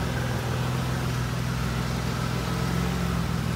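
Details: 2005-2010 Pontiac G6, car lifted, in drive with wheels spinning at idle; steady low hum and drone with faint warble from the front passenger-side hub bearing with ABS sensor, before replacement: wheel bearing noise.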